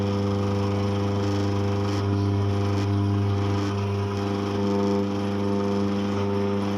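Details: Eureka Mignon Single Dose coffee grinder running: a loud, low, steady hum with a buzzing drone that swells and fades in places; it is vibrating and droning more than it should.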